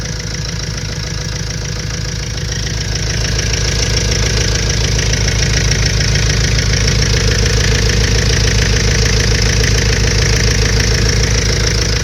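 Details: 2005 Renault Trafic 1.9 dCi diesel at idle: steady, even knock about 3.5 times a second over the idle. Owner asks what causes it; source unknown.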